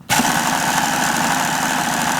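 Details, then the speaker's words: Hobao Hyper7 RC starter box, motor reassembled with belt on and switch bypassed: steady whir with a gritty, uneven rattle; it sounds rough, wobbly and loose, essentially unchanged by the repair. "I know it sounds a bit rough but it ain't all that bad you know I know it's a bit wobbly and a bit loose but it's not that bad"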